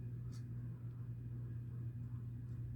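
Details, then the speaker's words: 29" Homestead Universal Monterrey ceiling fan on 3-speed wall control, medium speed: low steady motor hum with faint thin whine from worn, dry bearings; oiling planned, slight wobble on high. "also on a 3-speed wall control, so the bearings are shot on this poor thing."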